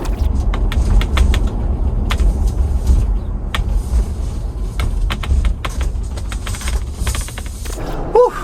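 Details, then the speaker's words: 2021 Ford Bronco First Edition driving after the squeaky, creaky factory hardtop was replaced with a Bestop soft top: only road rumble and tyre thumps over bumps, no clicking, popping or rattling from the roof; very quiet. "And actually, it sounds pretty quiet. For a soft top, this is probably the quietest I've experienced."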